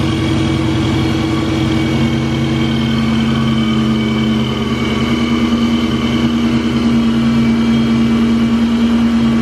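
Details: Cobra after new belt fitted: steady running with constant rubbing whine; owner thinks it's the alternator again, possibly a bearing from over-tightening, unconfirmed.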